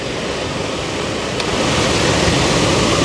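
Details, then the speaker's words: 2004 Toyota Tundra HVAC blower after fitting a new replacement motor, on mid speed and drawing about 3.7 A: even rushing airflow, a steady hum rising slightly then holding, no squeal or rattle. Normal blower operation. "with the new fan going to plug this in and do the same resistance test see what kind of amps the new motor was pulling and see if it's any different than the old motor"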